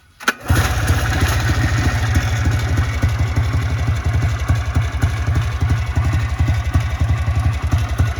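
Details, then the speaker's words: Trailblazer 250 two-stroke that had a no-start fault traced to a bad key switch, now with new key switch: pull start catches at once and settles into a steady even idle; starting and running healthy. "but this one you turn it on I put the new key switch on this one and it pull starts right right away"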